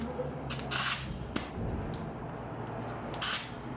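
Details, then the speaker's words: Mini truck air suspension, right-side air bag with a hole while left side holds pressure: sharp bursts of escaping air hiss over quiet shop background; air bag leak. "I don't know if you guys can hear it on the camera, but the air's just coming out."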